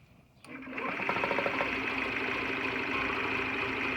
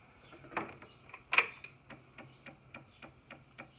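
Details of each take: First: 2009 Honda Metropolitan CHF50 scooter after sitting: new battery, fuel pump, filter and carburetor, about 135 psi compression, spark present. A steady high starter whirr with even cranking pulses for nine seconds, never catching; cranks but won't start. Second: 2009 Honda Metropolitan CHF50 that won't start (new battery, fuel pump, filter, carburetor; compression about 135, spark present), key on, brake held, engine off: quiet, even ticking three or four times a second; fuel pump priming normally.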